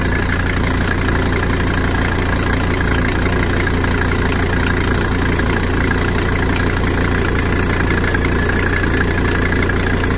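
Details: Mercedes 300D, OM617 diesel, after blown oil line ran with zero oil pressure, line patched and oil added, just started: steady even idle clatter with firm low rumble, no knocking or rattles; engine survived, running healthy.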